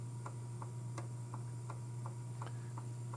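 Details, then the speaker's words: Panasonic RX-DS50 boombox tape deck playing a tape: light, sharp clicks about every third of a second over a quiet motor hum, abnormal. "all right is it going to play yes but i don't know if you hear that clicking noise that's not what i would consider normal"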